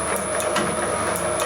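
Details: Homemade can crusher and wire cutter sped up to the speed used for cutting wire: quick, light rhythmic ticks over a steady high hum, smooth and trouble-free. Normal running.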